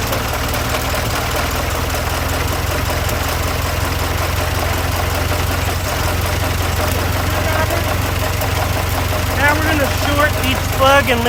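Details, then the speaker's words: 1926 Ford Model T truck after a loose connecting rod was fixed, idling while each spark plug is shorted in turn: a low, steady, even idle thump with no knock; the bottom end sounds sound. "for knocking. There's no knocking when I short the plug. We're good to go."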